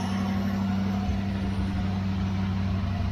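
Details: Mopar 318 V8 that sat 10 years, running on an engine run stand, charging, destined for a Valiant: steady, even low burble with no knocks or misses; smooth normal idle.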